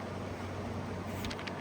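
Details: 2016 Arctic King 5000 BTU window air conditioner, model WWK05CR61N, 115 V, fan only on low drawing 0.475 A, 58.7 W: quiet, smooth low hum with soft, even air rush and no rattles or squeals; normal fan operation.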